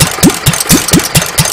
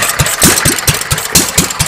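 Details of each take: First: Petter A1 stationary engine, adjustable jet screwed in then opened 1.5 to 2 turns, no exhaust fitted: loud unmuffled cracking bangs about four a second; exhaust back pressure would often even out the running. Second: Petter A1 single-cylinder stationary engine with Wipac magneto, just timed without flywheel timing marks, running without exhaust fitted: crisp evenly spaced exhaust barks about one a second, steady rhythm, no misfires; runs quite well.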